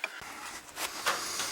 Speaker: all right guy it looks to me like it's leaking right from this copper pipe here right above all this where these screws are see these screws here that's what it seems like it's leaking to me